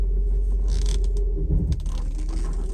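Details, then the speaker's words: Mercedes 500SL reversing on a drive: low rumble with heavy thuds and creaks midway; differential mount suspected, not confirmed. "there's a little bit of banging sounds like from from this left corner here it's like I don't know how to explain it it's just like something is loose"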